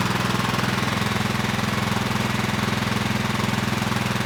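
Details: Craftsman LT1000 lawn tractor with Kohler Pro CV490S single-cylinder, running in neutral after a rock strike and carburetor check: steady, even thump at constant idle, no knocks or misses; engine appears viable.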